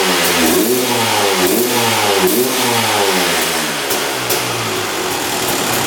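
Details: 2001 Honda CR250 two-stroke, just revived non-runner: raspy uneven burble, revs rising and sagging lazily with throttle, heavy smoke; owner suspects it runs rich from fuel mixture or too much oil, unconfirmed.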